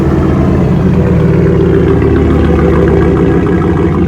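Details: 2012 Ford F-150 XLT during remote starter kit install: deep, loud, steady exhaust rumble with an even beat and no misses or knocks; healthy V8 idle with open exhaust.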